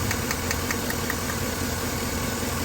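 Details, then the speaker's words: 2013 Silverado 5.3L with a P0300 misfire, cylinder 3 actively counting up. Sharp snaps about five times a second over a rough idle are heard from the cylinder 3 plug wire/coil, confirming spark is present. "See if we're getting any fire. Now you can hear it, so it is getting fire"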